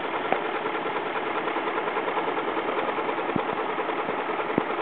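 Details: BMW X5 4.4i at idle with oil filler cap removed: steady idle with a light, irregular ticking from the top end, more noticeable with the cap off; source not pinned down.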